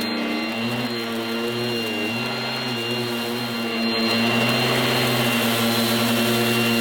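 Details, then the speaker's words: 1980s mains-powered Goblin Roto handheld vacuum cleaner with rotating agitator brush during demonstration: loud, steady high motor whine with a brush hum that dips and recovers slightly; very noisy but healthy, fairly effective. "well there you have it that's the goblin Roto quite a noisy but fairly effective handheld cleaner from the 1980s"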